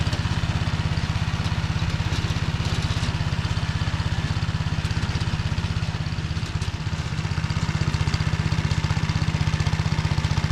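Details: Tractor driving a Motor Sich rotary tiller through the Kamyansky gearbox, rebuilt after breaking with all 3 bearings replaced, milling hard ground after winter barley: steady low drone with an even pulse about four per second, no grinding or knocking; normal running.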